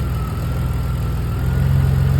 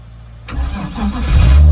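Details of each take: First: Drift car idling after a layup while ignition coils are unplugged one at a time: the idle turns uneven and lumpy with a deeper, shakier beat as that cylinder drops out. Water and rust found in a coil well may explain the coil breakdown. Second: BMW drift car after winter sitting, low battery voltage prevented starting: jump-started from a Toyota; brief cranking then engine catches and settles into a low steady hum.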